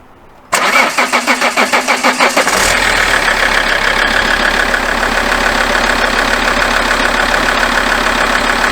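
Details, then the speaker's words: Alfa Romeo 159 diesel daily driver, started after a fix for a horrific-sounding tough start, weak battery possible: about eight quick even cranking pulses, then it catches cleanly into a steady smooth idle; sounds exactly like a diesel should. "Sounds a lot better. That sounds like it should do. That sounds exactly what a diesel engine should sound like."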